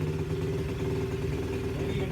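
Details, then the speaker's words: SSR pit bike idling after carburettor adjustment and about a quarter inch cut off the throttle cable: a slightly fast, even single-cylinder beat; idle still sits a little high but is close. "a little high still a little bit we're close we're right there"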